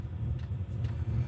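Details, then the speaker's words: Happybuy Vevor 8 kW Chinese diesel heater in a van, running just after a glow plug replacement and reconnecting the PCU plugs: steady low rumble with a soft even pulse, no misfire or rattle; the heater burns normally. "Well, I just plugged it all back in. And it seems to be working."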